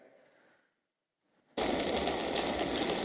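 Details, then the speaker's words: Underwater recording of commercial ships, 1-3 km from a shipping lane: after near silence, a loud dense crackling hiss like frying bacon from collapsing bubbles. Propeller cavitation noise. "this is cavitation this sparkling like you're frying a pan with bacon this is the bubbles collapsing creating these sparks of noise which can be very loud"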